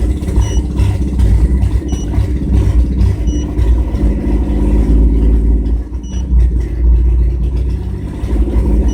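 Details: 1997 GMC Jimmy held near 2000 rpm while reading live data: deep drone with uneven stumbling beat and occasional dips; engine misfire, cause not pinned down.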